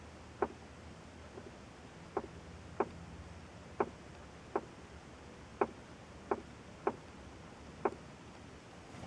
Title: 2004 lesabre tapping noise from dashboard